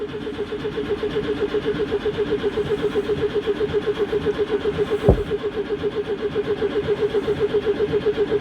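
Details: Citroen GSA, air-cooled flat four, with old, damp HT leads, in neutral on choke. Steady starter churn with one unexplained sharp bang; never catches. Extended cranking, no start; struggling to get fuel through.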